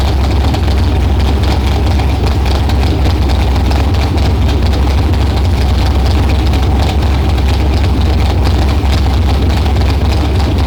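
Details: LS-swapped Nissan R32 GTR on stock GM LS EV1 injectors, fuel pressure about 60–61 psi, not yet boosted or warmed up, running lean after troubleshooting; deep, steady V8 burble with an even beat and no misses or knocks, a clean, healthy idle.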